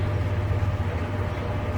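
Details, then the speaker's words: Jeep TJ NV3550 transmission at idle after fluid change to Royal Purple; earlier noise suspected input shaft bearing. Steady low drivetrain hum, clutch out and clutch in, no whine or rattle; noise gone, quiet transmission. "clutch out, clutch in. So, it seems like the noise has gone away."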